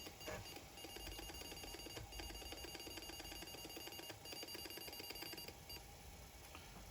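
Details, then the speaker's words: Atari 810 disk drive with Tandon TM-100 mechanism, after fitting a 3D-printed replacement door, loading a DOS 2 disk: quick even ticking and chirping as it steps and reads, no stalls or grinding; normal loading. "The drive's spinning. You can see the activity light. You can hear that the drive's reading it is fine."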